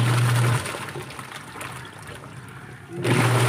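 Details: Washing machine after tightening a loose screw the owner had left out: motor hums steadily, pauses with water sloshing, then hums again as the wash timer runs; normal wash agitation, turning and reversing as it should.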